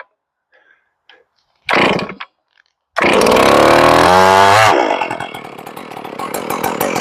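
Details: Ported Stihl 461 chainsaw with new Caber rings and a repaired blown-out spark plug hole, on its first cold start before carb tuning: catches after a few pulls and settles into a steady high buzz with a slightly uneven idle. Running normally.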